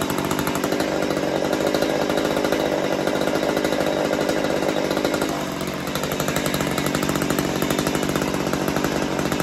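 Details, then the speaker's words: Stihl MS192T chainsaw, first run after refitting the forgotten impulse hose and retuning the carb (high screw, idle raised): steady even two-stroke buzz at constant pitch, no misses or surging; running fine. "anyway what do I think first time running it not too bad"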